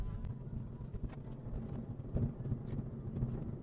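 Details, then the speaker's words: Manual Mazda on rough road after the exhaust heat shield was trimmed and the bumper undertrays were tied up: low road rumble with dull thumps over bumps, no metallic rattle. Rattle occurred on continuous small bumps; it later returned from worn rear bumper clips. "这个异响现在没了，这个异响没了。这个异响我动哪了呢？是排气管啊，是排气管上面有个护罩"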